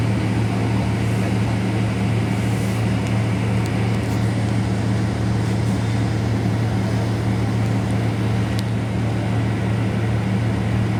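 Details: Caio Apache Vip 4 bus on Mercedes-Benz 1724L chassis under way: loud, steady low growl and drone over road noise, a deep drivetrain roar from the differential roaring very loud.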